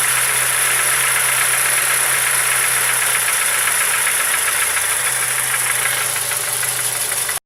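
Idling engine with a quick, fairly regular tapping around four per second over a bright hiss; a knock of unknown origin.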